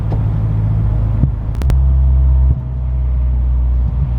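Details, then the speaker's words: Mini on a slow test drive at low rpm, where the rattle was worst, after tightening the heat shield and downpipe bracket; low steady engine and road rumble with no metallic exhaust rattle. Rattle gone. "not there i'm glad i mean when you can obviously see if there if the where the rattle is when you tighten it up and it's not doing it again 99 positive it's gone"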